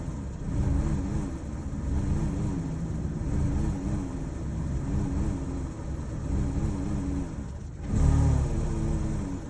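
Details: Chevy Cruze with check engine light on: idles unevenly, the note wavering and surging every second or so instead of holding steady. Rough idle, cause unknown.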